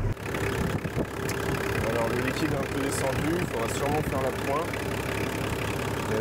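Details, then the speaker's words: Nissan Patrol Y60 diesel idling after power steering pump replacement: smooth steady rumble with no engine-speed-related whine, old pump's noise gone and steering light; new pump healthy. "déjà la pompe ne fait plus de bruit rien que ça déjà c'est une bonne nouvelle"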